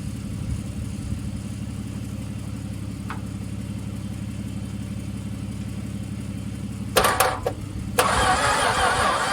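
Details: Long-stored VJ Dodge ute engine, previously stuck, oiled but unserviced for years, weak battery boosted: slow laboured rough cranking about four turns a second, catching and firing near the end; harsh cranking after long storage.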